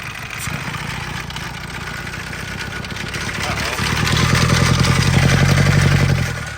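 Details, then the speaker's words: Auction Isuzu 4HE1 four-cylinder mechanical diesel, cylinder down and sucking oil from the crankcase through the EGR into the intake: idle climbs by itself, rising in pitch and loudness; diesel runaway. "uhoh starting to run away that's not good"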